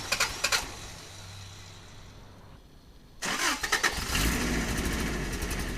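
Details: 4WD after new fuel pump, filter and added inline filter: clicky cranking stalls into a silent pause, then the engine finally catches and settles; extended cranking while fuel slowly reaches the engine.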